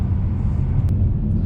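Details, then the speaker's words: Volvo S60 T6 (P3) test drive after replacing the front lower control arm with its fused ball joint: only steady low road rumble, with the earlier clunking gone and the front suspension sounding sound. "So I drove it some more, and yeah, it seems like there's no more clunking noises."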